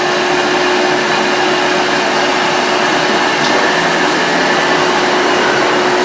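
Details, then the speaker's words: Volta F1 vacuum cleaner running with bag saver after sitting unused a long time: steady high motor whine over constant airflow roar with a faint rough edge; motor bearing noise, bearings not serviceable and motor can't be taken apart. "Okay, when I started vacuuming this lid, that full bearing noise. But when you turn this vacuum on, it will make that if you have not used that this vacuum for a long time."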